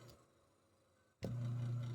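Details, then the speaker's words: Washing machine motor without a capacitor: a faint sound suddenly jumps to a strong, steady low hum when supply is moved to the other winding during a test to find the capacitor and power wiring and the rotation direction. "cómo cambió ven cómo cambió se intensificó"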